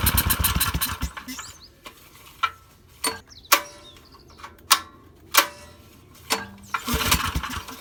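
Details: Suzuki SV2300H generator that won't start: several sharp recoil pulls roughly a second apart, each a brief rasp that dies away; the engine never catches; cause suspected, not confirmed.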